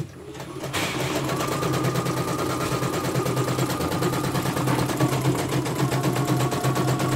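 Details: Embroidery machine sent in for service after jamming again and skipping stitches, found stiff at the motor, test run: steady even stitching tick about three per second with smooth hum, no knocks or skips; runs smoothly.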